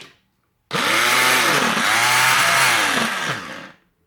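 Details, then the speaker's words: Tefal Optiblend 1000 W hand blender: loud high-pitched motor whir that sags and recovers as the blades load up in bursts; blender part quite noisy, but working normally. "açtık biraz daha ses çıkartıyor bu fakat mikser yani blender kısmı oldukça gürültülü a olduğunu söyleyebilirim"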